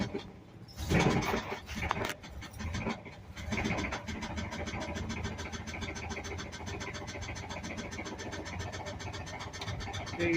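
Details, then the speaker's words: 1982 Ford F-100 3.8L V6, carbureted, three-speed column shift, hood open: cranks, starts and idles with a steady deep rhythmic knock; owner says it has a rod knock. "I'm going to start it up it's got a rod knot so you you'll hear it Knocking"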